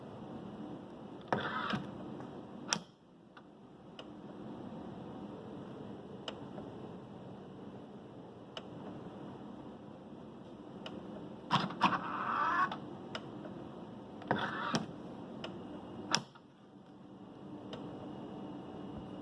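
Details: Tesla Model 3 parked in the evening: sharp, spaced-out ticks and short rustling bursts over a quiet hiss near the charge port, starting suddenly and stopping once driven; cause unknown.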